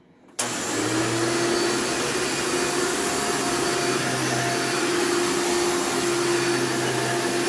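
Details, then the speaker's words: Elite vacuum with brand-new brush roll: loud steady motor roar with harsh buzzing edge over a constant mid tone; fan suspected worn and needing replacement, not confirmed. "so and based on that sound it probably needs a new fan as well because the thing does make a lot of buzzing sounds"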